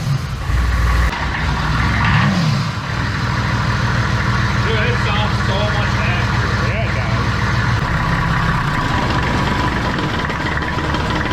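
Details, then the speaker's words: Diesel-swapped Corvette after fixing the injection pump, with a leaky injector noted. Starts very easily and smokes far less. Deep steady diesel clatter, a short early rev, then an even idle with no stumble: normal diesel idle. "yeah that started really easy yeah dude this smoke way less too way less"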